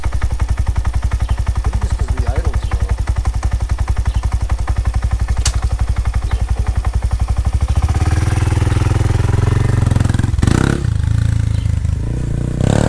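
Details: Honda Grom, ridden hard near wide open: single-cylinder thump with a harsh clatter over each beat, swelling with revs, louder than before; valve adjustment showed nothing wrong, and the owner suspects the cam chain or a bottom-end bearing.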